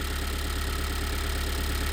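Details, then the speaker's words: 2022 Kia Sorento 2.2 diesel at idle: low dull thud repeating steadily, heard deep inside and from the cabin; no error codes, engine untouched, only underside opened; suspected dual-mass flywheel knock, unconfirmed. "Он прямо аж с глубины слышно этот глупой стук. Никаких ошибок нету. Из салона слышно."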